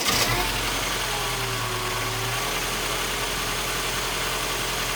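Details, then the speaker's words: 2015 Mini Cooper S, first proper startup after rebuild: idle sags and recovers, revs hunting from 1,000 to about 750–800 rpm. Vacuum leak because the induction hose was not connected. "It's a bit, the idle isn't, sounds like there's air getting in. Revs are going from 1,000 to about 750 to 8, which normally means there's air getting in, but I need to keep it running."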